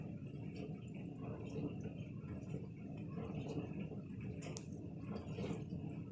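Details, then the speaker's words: New GE GPT225SGLBB portable dishwasher on its first run, Heavy cycle, connected to the faucet: soft low pump hum under gentle water swishing, steady and relatively quiet, washing normally. "Sounds like it's cycling on. So far, that is the noise it's making. So far, it's relatively quiet."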